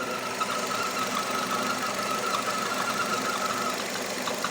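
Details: Nissan Terrano / Renault Duster, new car with 47,000 km, idling: thin wavering squeak over the engine, seeming to come from flywheel/release bearing area but actually caused by the crankcase ventilation valve.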